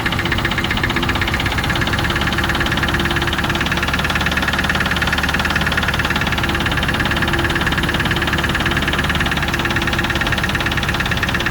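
Petrol V8 idling with a steady, fairly even knock of about three per second riding over the engine note; source not identified.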